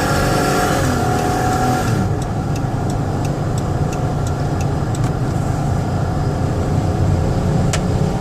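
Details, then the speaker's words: 2013 Dodge Caravan SE mobility van, 59k miles, test drive under hard throttle up to about 70 mph: smooth, even engine pull over road and wind noise, no knocks, whines or stumbles; normal acceleration. "What I want to do is drive them hard so you can hear the engine run and the transmission shift."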